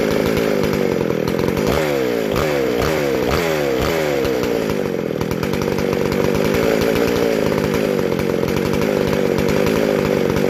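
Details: Vintage McCulloch SP125 two-stroke chainsaw with 36 inch bar, after fixing a large carb-to-intake gap; snaps up to high revs and drops back cleanly, sharp even throttle response like a race saw; normal revving.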